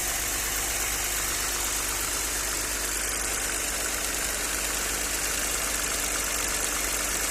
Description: Ребята подскажите пожалуйста что стучит Audi 100 c4 2.6. , пишите, буду рад коментариям.